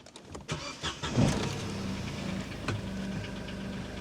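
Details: 17-year-old VW Passat with a heavy oil leak, blowing exhaust and engine management light on: engine catches and settles into an uneven, lumpy idle with a gruff low rumble; rough running, cause not confirmed.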